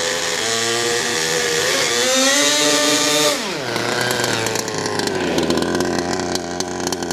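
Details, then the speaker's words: HPI Savage Octane RC truck, two-stroke petrol engine, plenty of oil in the fuel: high buzz revving cleanly then dropping smoothly to a steady tick-over without stumbling; running healthy. "I can't believe how well this is running. It's running like an absolute dream."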